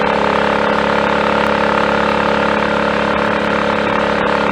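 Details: Triumph Tiger Cub on a frosty morning, choke off, riding under load after a new carburettor slide, needle, needle jet and main jet were fitted for its rich mixture: steady, even single-cylinder firing with no misfires or stumbles, though the plug is still quite black.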